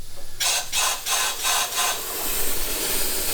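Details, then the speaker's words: Saab 9-5 Aero converted to rear-wheel drive, turbo system under a pressure leak test: loud rushing hiss pulsing about twice a second, then a steady blow. A major leak blowing straight out from the underside of a boost pipe joint; the car still ran okay. "Can hear it. It's blowing straight out and still the car has ran quite okay."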